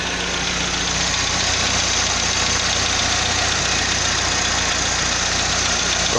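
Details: 2005 Chevrolet Astra 2.0 8v on CNG, 169,000 km, 20W50 oil, first cold start of the day: fast light ticking over the idle, about two or three per second, fading after warm-up; lifter tick suspected, cause unconfirmed.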